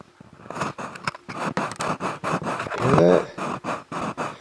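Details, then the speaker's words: Reclaimed Bogen 70V loudspeaker from a backyard sound system, cone pushed in and out by hand: rhythmic dry scraping about three strokes a second, like an unlubricated piston; owner suspects a blown speaker with voice coil rub, not confirmed. "almost like it's on a piston of some sort and it needs to be lubricated I'm not quite sure but this is the speaker I think that's giving me issues doesn't sound as good as I want it to sound"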